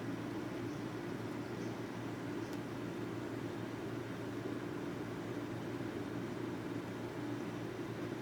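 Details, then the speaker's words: NuXT computer after a power supply swap, first power-up: steady airy whir with a faint hum; the rear case fan sounds a bit bad, possibly worn. "it is still working yay I didn't kill it that fan sounds like it's a little bad that's in the back of the case"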